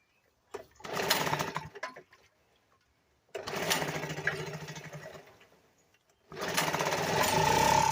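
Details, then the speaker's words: 1975 Sears Gamefisher two-stroke outboard after carburetor repair, in a water barrel with choke out: runs in one-second bursts, cuts out and restarts; owner suspects too little gas (only a couple cups), not confirmed. "I do know this thing doesn't have enough gas in it so I only had like maybe a couple cups to put in it so it may uh it may not have enough gas in it"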